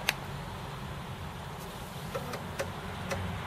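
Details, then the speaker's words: Acorn Archimedes A3010 floppy drive reassembled after fixing a loose, sagging coil that rubbed: only a faint steady whir with soft ticks, rattle gone, drive runs quietly. "So I've got that drive reassembled using the metal ball mouse from a previous video. And if we just start that, you will hear, in fact you can't hear, that drive is silent"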